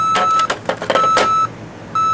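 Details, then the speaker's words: Panasonic RC-6288 clock radio alarm: loud high-pitched beep through the speaker, about half a second on and off, repeating roughly once a second, not volume adjustable. Normal alarm tone. "Not volume controllable. Rather high-pitched, annoying squeal. That is coming from the speaker."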